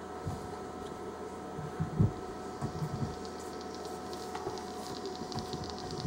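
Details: Smokeless Image Volt X2 auto battery with clearomizer while puffing: irregular soft pops and crackles, juice coming up the tube; owner unsure whether from flooding or starving for juice.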